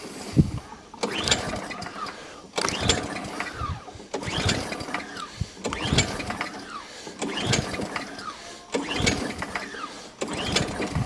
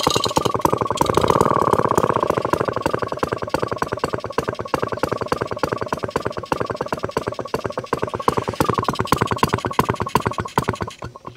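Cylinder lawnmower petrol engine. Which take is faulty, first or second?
first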